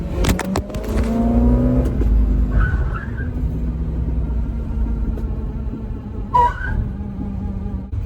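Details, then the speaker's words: 1964 Dodge Dart GT, 273 V8, on a drive with the speedometer cable also noisy: low rumble with a steady drone and brief higher squeals rising and fading. A drum brake dragging and seizing. "Okay, the one seizing brake thing is a bit of a problem."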